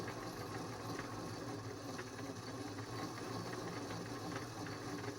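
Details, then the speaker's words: Dirty thrifted Singer 533 sewing machine running before cleaning and oiling. Steady hum with a faint dull knock about once a second under the whir; the knock may come from the feed dog and is suspected to be lack of oil. "There sounds like something is knocking there, but that might be the feet dog."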